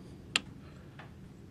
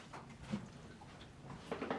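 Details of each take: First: 50hp Mercury outboard: a single sharp click, then a faint second one, with no cranking as the key is turned. The solenoid clicks but isn't making contact despite 12.95 V battery feed, so it is bad and must be replaced. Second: 50 hp Mercury outboard, starter was dragging, after replacing a bad solenoid: two short bursts of the motor catching and running cleanly, run briefly without water hooked up; starts without trouble.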